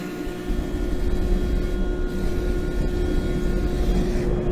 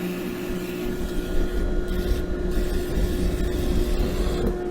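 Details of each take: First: Gas forge with air and gas controls and UV fire-eye flame sensor, relit after flame blew out; steady even roar with constant low hum, no sputtering or popping. Burner lit and running normally. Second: Natural-gas forge with blower and fire-eye UV sensor, at ignition: steady blower hum under a low burner roar that suddenly drops away about 4.5 seconds in; flame blew out, possibly from too much air, and fire eye cut the gas. Flame blowout.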